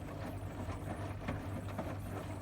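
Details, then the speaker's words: Bosch Serie 6 washer dryer after clearing a drum-to-drain-pump hose blockage (plastic, fluff, hay), on spin and drain: low even pump hum with water gurgling and sloshing, trickling into sink trap; pump a bit tired but draining freely, normal operation. "nice water noises in the pump, and also trickling noise coming into either, if it's joined into your sink trap, coming into the sink trap, or if it's a separate pipe, you want to hear water."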